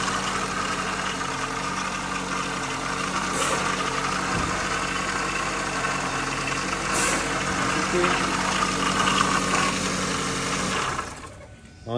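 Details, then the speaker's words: 2003 Ford Focus, noise at engine start: over a steady idle, a gritty whine and scraping that follows engine speed; worn-out water pump impeller. "aquí estamos trabajando en este for Focus que tiene un ruido cuando prendemos el motor"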